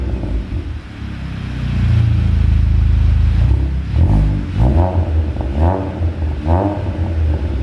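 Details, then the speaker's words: VW Golf GTI (salvage) just fitted with IS38 hybrid L500 turbo and full exhaust, in workshop, not yet bedded in: loud deep exhaust swells on quick revs, drops back to steady burble, no leaks; normal revving, sounds like a rally car. "well it sounds like a rally car so not too sure that was the uh the noise i was intending for i was hoping it'd be a bit quieter than that"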